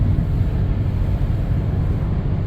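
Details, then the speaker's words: 1997 Dodge Caravan LE driving about 55–60 mph, steady low droning front wheel bearing hum that gets louder turning left and fades turning right, suspected front right bearing under load; sometimes felt in the brake pedal, progressively worsening. "if you notice gets loud when I turn left and it goes away when I turn right so what happens with a wheel bearing is when you put load on it it makes more noise because there's play in it"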